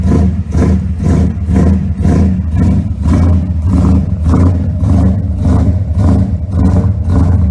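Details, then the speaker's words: Car sat overnight after arriving with a dead battery, started about four times, alternator not charging: heavy, labouring, uneven crank at roughly two strokes a second; slow cranking from undercharged battery due to failed alternator. "the point is I wanted you to hear how that battery was lagging because I've started the core I've started the car like four times now"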